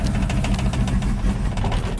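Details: 1987 GMC Sierra V8 plow truck: uneven lumpy idle, stumbling and stalling under load; fuel pressure holds 10 psi, so spark or spark timing suspected, worse when hot, distributor spark control module to be checked.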